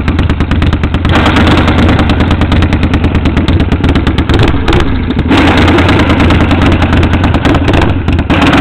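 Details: 1948 Harley panhead chopper on its first run after rebuild, valves just set: loud, lumpy V-twin beat about three pulses a second with some revving, firing cleanly; healthy running motor.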